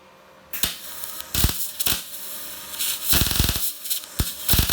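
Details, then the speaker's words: Telwin 210 welder: bursts of sharp crackling arc clacks with gaps, slower and less even than the earlier, faster clacking of a settled arc. "Tout à l'heure, le clac il était beaucoup plus rapide en fait."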